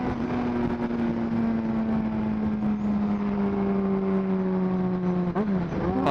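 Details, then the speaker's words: Yamaha XJ6 600cc motorcycle with AIS closed off, revved to 8,000 rpm then throttle shut: high revs fall away smoothly with a clean dropping tone, no exhaust pops or crackles on deceleration; experiment successful. "Tak ada pun bunyi popping tu. So berjaya."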